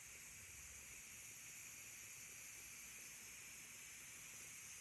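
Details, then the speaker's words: First-time use of a new electric pressure canner with pint jars, warming up and not yet at pressure: steam starts venting as a steady hiss with some water spurting from the vent; normal steam venting during warm-up. "Now the steam is coming. See that? And it will actually get to be really steady stream, but if you can see down in there, it's kind of spurting a little bit of water too."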